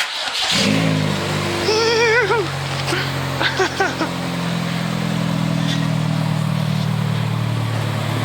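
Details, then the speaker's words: Car with exhaust split in half after hitting a speedbump, before split-flange repair: engine revs loud and raw with harsh unmuffled rasp over a deep drone; exhaust leak. "yeah we're about to fix the exhaust on this thing I've never heard it it's got some serious issues we're gonna try our best but this is what it sounds like right now"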